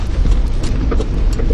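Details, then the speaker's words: Kia Picanto turning left at low speed: light uneven clicking repeating as the wheel rolls, heard clearly on left turns and also on right; worn outer CV joint, replaced. "вот как раз таки налево он очень хорошо слышно"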